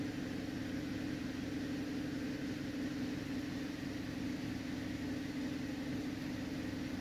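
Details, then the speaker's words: 2011 Cadillac CTS in for a misfire and oil pressure sensor code P0523, after clearing codes: engine coming down off high idle to about 900 rpm, with a steady, even low hum and no stumbles or skips; normal idle. "it's coming down off of its high idle right now it's at about 900 RPM"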